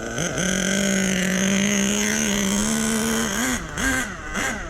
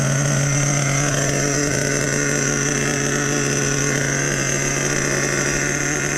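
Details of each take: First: Small nitro RC engine during break-in, idle set too low: buzz sags and wobbles as it nearly stalls. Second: Nitro RC truck with OS No. 8 glow plug, just fired up after priming and idle turned up half a turn: steady even buzzing idle, constant pitch, no stumbles or surging.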